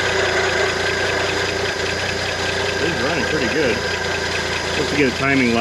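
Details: 1971 International Harvester 1110 pickup, AMC 232 six, 4-speed, idling after its first start on a rebuilt carburetor. Steady, even idle with no misses or knocks; running smoothly.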